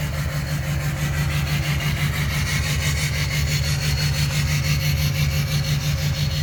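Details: Duramax LMM diesel, cylinder 7 misfire: uneven, lumpy beat about twice a second that stumbles as it revs; one cylinder misfiring.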